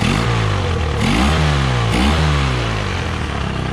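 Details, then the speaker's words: Honda outboard after new impeller fitted for weak water pumping (missing fins): revs up and settles with clean even beat, no misses or knocks; normal running. "she runs great so here's a honda it's all cleaned up and it looks really nice"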